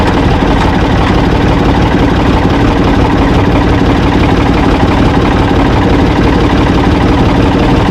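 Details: Ford 445 diesel tractor, owner thinks a 1970s model, restarted with owner aboard: steady, even idle clatter, no misses, knocks or speed hunting; engine healthy, though drive in forward and reverse quit, owner suspects worn linkage.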